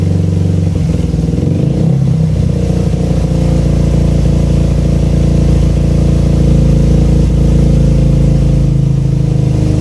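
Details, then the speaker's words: Suzuki Satria FU with racing exhaust after carburetor repair kit and pilot jet change from 12.5 to 17.5, exhaust leak repaired: steady, deep, soft exhaust drone with a brief rev blip near two seconds; normal running and revving. "Setelah diganti itu suara anginnya juga lebih enak, lebih stabil, lebih cocok dengan sinar knalpotnya. Ciri khas dari airline ya, lembut, ngebas."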